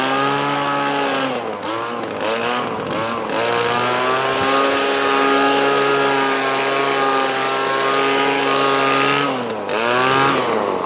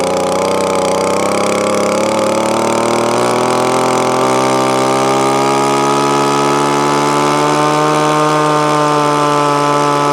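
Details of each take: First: Echo ES2400 leaf blower after priming and choke: high buzzing pitch that sags and recovers; copy carburetor with only a high mixture screw needs tuning. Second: Echo ES2400 leaf blower, replacement carburetor mixture screw backed out about a turn and a quarter and more: steady, clean two-stroke buzz climbing smoothly in revs; running properly after tuning.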